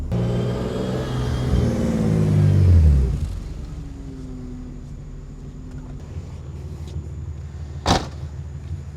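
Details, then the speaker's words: BMW E36 M3 after head gasket and bent exhaust valve rebuild, warm during first test drive: revs drop to an even 700–800 rpm idle, temps steady, no knocks or odd noises; healthy idle. "Like right now, we're sitting at 700, 800 RPM at idle, and that seems to be fine. Engine temps are not climbing, cars not making any other weird noises"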